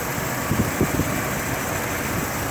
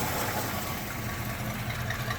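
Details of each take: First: Restored 1969 Ford Bronco half cab V8 in 28°F weather, after running a while: steady even idle with soft regular pulse, quieter than at cold start, no ticking, knocking or smoke; mechanically sound. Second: Restored 1969 Ford Bronco half cab V8 at cold start in 28°F weather, not in gear: light fast lifter ticking over steady rumble, a bit more on one side, no knock or smoke; not substantial.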